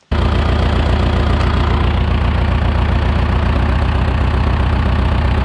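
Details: 1975 John Deere 450B dozer diesel idling with an uneven, stumbling beat about once a second; one cylinder firing poorly, number one injector line cracked with the engine running to check fuel delivery.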